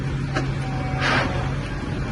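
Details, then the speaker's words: Tractor with glide shift transmission, not hydraulic shuttle, shifted from dead stop into reverse without clutch; steady drone, sharp click and short rasping burst on engagement, possible gear grind, unclear if normal. "hear it clicking gear and then it kind of makes a noise trying to see if that's grinding or if that's how this transmission is designed to operate"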